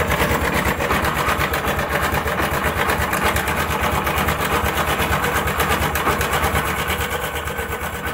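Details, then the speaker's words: Honda SP 125 BS6 motorcycle at idle before timing chain replacement: fast steady ticking rattle about three per second riding the engine beat; a worn timing chain, which is then replaced. "দেখানোর আগে আপনাদেরকে দেখিয়ে দিই timing change যদি খারাপ হয়ে যায় তাহলে কী ধরনের সাউন্ড আসে।"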